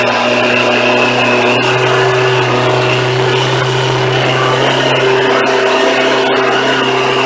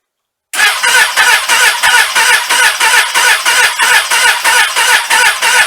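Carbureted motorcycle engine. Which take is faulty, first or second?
second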